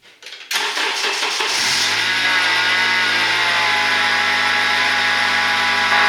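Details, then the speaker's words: 2008 Acura TSX at cold start: high steady screech over idle from the accessory belt drive, one of the power steering pump, alternator or idlers, squealing from the moment the car starts. "one of these accessories whether it's power steering pump alternator one of the idlers is screaming um the second you start the car or you hear it"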